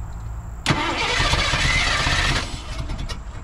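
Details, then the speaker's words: 1987 Ford F150 converted from EFI to carburetor with HEI distributor: starter cranks, engine catches with a rough burst only on squirted fuel and stumbles a couple of seconds before fading; owner suspects the carburetor is delivering no fuel. "I don't think it's putting any fuel in it at all"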